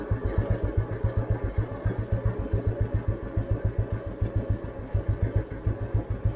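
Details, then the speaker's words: 1988 Royal Enfield Bullet 350 (80s CI engine), riding very slowly in top gear on a village beach road: slow, even big-single thump near 220 beats a minute, pulling smoothly with no knocking; normal low-speed running. "ഇത് നോക്കിക്കോട്ടോ, top ഗിയറിലാട്ടോ വണ്ടി പോണേ. ഇത്ര സ്ലോയിൽ നമുക്ക് ഇങ്ങനെ, ഇതിലും സ്ലോയിൽ നമുക്ക് വേണമെങ്കിൽ ഇങ്ങനെ ഇഴച്ചഴച്ച് കൊണ്ടുപോകാം വണ്ടി."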